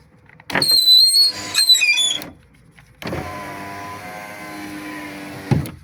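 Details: Subaru Legacy power window: a high, thin whistle near 4 kHz over the motor hum as the glass moves. The window regulator whistles in operation.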